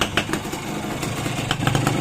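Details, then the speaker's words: Restored Suzuki X4 small single motorcycle idling after rewiring and full-wave conversion (12.8 V idle, 14.9 V revved); quieter than before, steady burble with light clatter, no knock or miss – normal idle. "Medyo tahimik na dyan, hindi na nakagayong dati talagang magkaingay. Tahimik na yan."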